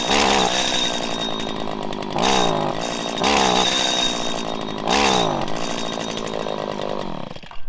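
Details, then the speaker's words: 1997 Stihl Pro Series FS two-stroke trimmer: it revs on each throttle stab, then sags and nearly stalls. The engine is bogging from a misadjusted high-speed mixture; the high-side screw was turned half a turn in and out, and small screw movements change running greatly. "all right so right there i turned the high side screw half a turn in half a turn out a little bit of movement on these screws makes a huge difference"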